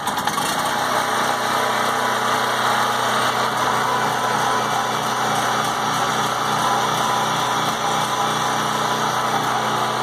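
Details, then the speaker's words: PowerIt 3800 W gas generator, 7 hp four-stroke, started after sitting over half a year stored without a full tank: steady, even drone with no knocks or misses; starts and runs without issues. "there we go guys start it up without any issues again"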